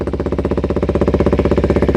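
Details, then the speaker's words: 2008-2012 Kawasaki Ninja 250R twin after service with new clusters, warming up, lavalier mic removed. Quick, even exhaust pulses at about twelve per second, steady and smooth with no knocks or misses. Normal warm-up idle. "there you go nice little idle now sounds very clean still warming up a bit"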